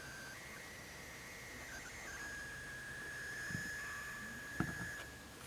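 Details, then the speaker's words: HP laptop power supply (charger) for an ASUS Q304U, plugged in and held close to the microphones. It gives a faint, steady, high-pitched coil whine around two kilohertz; the AC adapter swapped in instead is silent on the microphones. "this is the HP power supply and this one's plugged in at the moment if I put it up real close to the microphones you can hear a high-pitched whine"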